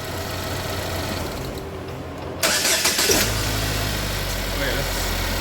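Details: GMC engine after a head gasket redo, high-pressure fuel pump reconnected and codes cleared: short crank, brief flare, then a steady, even idle with no odd noises. Runs healthy.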